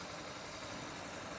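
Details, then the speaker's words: Honda Beat FI injected scooter at idle after the engine oil temperature (EOT) sensor socket and connection were repaired, reading about 58–60 °C: steady, even drone with no rises or dips, ticking over slower than it should; idle speed too low. "Ini langsamnya kurang"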